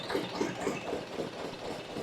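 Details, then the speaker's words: Glonet (Indian Lister-type knockoff) twin-cylinder diesel running after fuel-system cleaning and priming; slow, even beat with light regular rocker ticks about four a second, nothing knocking; left cylinder loses fuel at low speed but runs well now; normal running. "Kind of cool to see the rockers and everything working there like they're supposed to."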